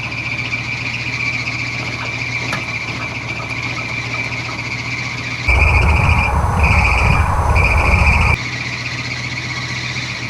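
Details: Long-stored Chevy cube van V8 at idle after exhaust manifold work: steady high-pitched squeal over idle, louder on brief revs; owner suspects unhappy hydroboost (brakes untested); source unconfirmed.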